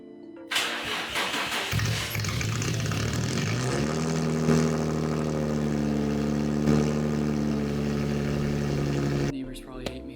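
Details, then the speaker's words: 2004 Infiniti G35 with straight-pipe exhaust and no muffler: starter whirs, the engine fires and settles into a loud, raspy, booming idle. "I'm gonna start it only this once with the straight pipe because it's super loud, again, obnoxious, but I figure let's just hear it on the camera."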